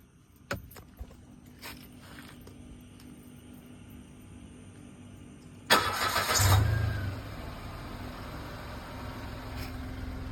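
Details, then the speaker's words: 2014 Mitsubishi Mirage, cold start the morning after topping up engine oil that was low. The strange noise at start-up, which had come with the oil warning light, is gone; after a few clicks and a brief crank it settles into a steady, even idle. "Dan setelah dicoba bunyi anah mesin sudah tidak terdengar."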